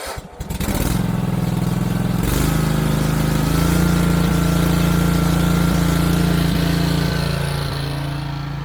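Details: Wright Stander mower engine after carburetor replacement catches and settles into a steady, even drone with no stumbling or surging; runs normally, though the fuel tank grommet is leaking.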